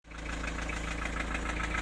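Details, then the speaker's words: Diesel engine at idle, knock comes and goes from day to day: sharp, regular light ticking over the idle clatter, steady with engine speed; owner suspects a valve shim rotating, valve tapping from excessive clearance. "что-то жёстко застучало Ну похоже на клапан по звуку моё предположение"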